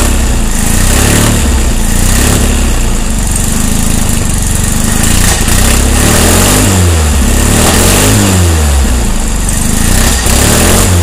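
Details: 1600 dual-port air-cooled engine with fresh heads, 7.5° BTDC timing and 0.006 valve lash runs rough with occasional sharp pops backfiring through the carburetor; cause unknown.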